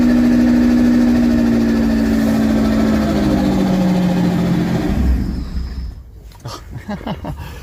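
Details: Supercharged engine on a standalone ECU with its idle control stepper motor removed, first runs after about 5 years, smoking: uneven tick-over with a sagging tone dies after about five seconds; rough idle and stalling.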